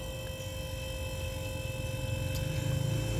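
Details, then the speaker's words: Refrigerator compressor after being restarted on its original overload and PTC relay, having previously stalled; low, steady hum with a faint even pulse, no knocking or rattling; normal compressor running. "Oke, mudah-mudahan jalan. Nah, ini sudah jalan dia."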